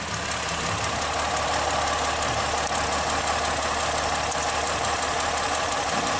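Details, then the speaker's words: 2010 Ford Fusion after owner-replaced PCM, with all ignition parts replaced, spark plug just replaced: put under load it still shakes, rough uneven stumble with cylinder 1 dropping out per power balance test; injector suspected. "Let's see. Put under load. Oh, it's still shaking."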